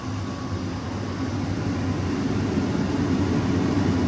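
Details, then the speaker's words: Boiler during quarterly preventive maintenance, pump on; combustion blower turns on ahead of ignition, steady whooshing air building evenly without rattles, normal pre-purge before gas valve opens. "The blower on the boiler just turned on."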